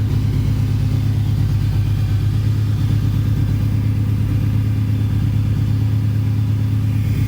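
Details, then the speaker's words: V6 Mustang, 146,402 miles, budget build with aftermarket exhaust, not run in months: deep, even exhaust drone held at raised revs, no rattles, knocks or misfires; clean, pleasant exhaust note, healthy engine. "I like how it sounds though. It sounds pretty cool."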